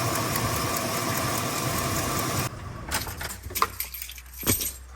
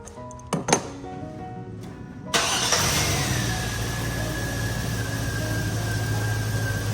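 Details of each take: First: Chevy Silverado 5.3 V8 at idle: fast light ticking from broken exhaust manifold studs, front and rearmost, on both sides; exhaust manifold leak, fixed with new gaskets and bolts. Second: Chevy Silverado V8 at idle after replacing the exhaust manifold gaskets, manifold bolts torqued to 18 ft-lb from the middle outward: smooth, even idle with no ticking; normal idle, exhaust manifold tick gone.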